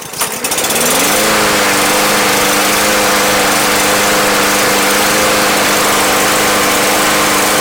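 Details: Yard Machines lawn mower bought not running, treated with Seafoam to clear the fuel system; on a hot start it fires on the first pull and settles into a steady, even drone with constant pitch, running cleanly.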